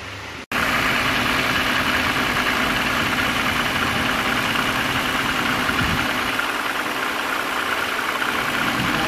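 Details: BMW E90 325i N52 inline-six at idle with engine light and codes 2A87 and P0015 (exhaust VANOS): a busy, clattery rattle from sheared variator bolts letting the exhaust cam knock about.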